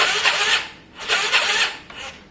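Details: Yamaha Virago after carb work, fuel primed, choke on: rough, labored cranking in uneven surges that never catches. The starter turns it over weakly and slowly; it sounds like a weak battery, but the owner suspects the starter clutch.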